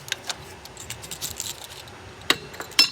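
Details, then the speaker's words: 2004 Toyota Land Cruiser 2UZ-FE V8: removed old PCV valve, gunky; light uneven clicks of the check ball moving freely inside the valve; old one still semi-good, replaced anyway. "And we will have our new one. You can hear the little ball moving."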